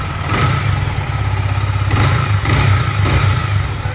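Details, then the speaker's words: Yamaha MT-15 after repair of engine noise with new timing chain and decompressor and rockers adjusted: steady single-cylinder idle with quick throttle blips, no ticking or chain rattle: normal idle. "Bike का जो sound check किया ना आप लोग एकदम showroom condition हो गया guys."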